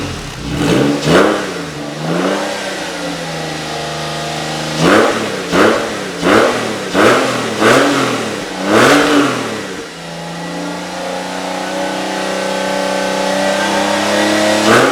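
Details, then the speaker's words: 1999 Porsche 996 Carrera Tiptronic flat-six after an engine-out service, warmed up with coolant at thermostat temperature after about 20 minutes; smooth idle and even blips, with ticking from the brand-new lifters subsiding to a tiny hint. Normal. "hing sounds sounds impeccable that uh initial ticking from our brand new lifters is starting to subside a little bit I can just hear like a tiny tiny hint of it still"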